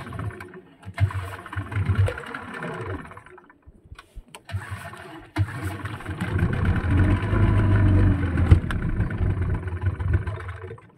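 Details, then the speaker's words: Yamaha 15 hp outboard before repair: spluttering start, runs only at high rpm and dies when throttle is eased or forward gear is engaged; stalling at low rpm from leaking reed valve and clogged carburetor jet. "Kita start dulu"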